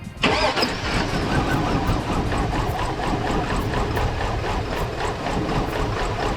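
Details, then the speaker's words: 2002 Cadillac Escalade that sat in a barn about 5 years, started after replacing a blown ECM fuse and refitting fuel lines: a ragged, stumbling, uneven idle with misfiring. The owner suspects many injectors are clogged and only dribbling fuel. "obviously it's running like crap but the last time this thing passed the safety inspection was in 2015 so i'd be willing to bet only about half of the injectors are actually injecting with any kind of pattern at all"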